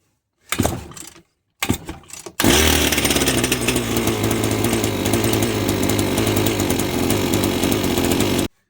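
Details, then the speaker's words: Two-stroke strimmer unused for years, after a new carburetor and gasket, valve and air-leak fixes. Two pull-start bursts, then a steady, even buzz with no sputter; normal running. The cause had been air leaking into the engine. "Um it literally was purely because of the air getting into the engine. Um obviously new carburetor helps. Um but yeah, a mix of gaskets and valves and air leakages was preventing that."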